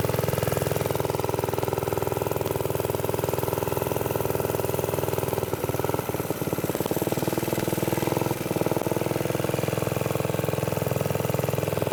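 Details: Briggs & Stratton-powered "Piglet" minibike, rusty rescue project run with choke after clutch prep; the idle may be set a little high and the sprocket has bad runout. A small single-cylinder buzz holds steady with a brief dip; it runs but is sketchy and needs more work.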